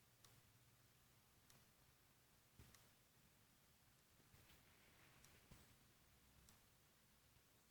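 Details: Corsair AX760 power supply with nothing connected except the power cable: faint, sharp, dry irregular ticks roughly every second over a quiet room hum; ticking from the PSU, cause unclear.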